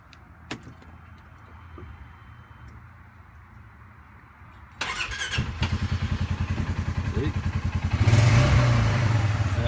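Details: Polaris RZR after a fouled spark plug was replaced with a new one: quiet, then the engine catches and settles into a steady, even low chug of three to four beats a second; runs properly.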